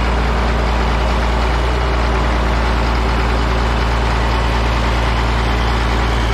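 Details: Caterpillar 977K track loader revived after sitting 12+ years, hydraulic line just fixed; diesel started after extra cranking and holds a deep, steady, even idle with no knocks or misses while warming up.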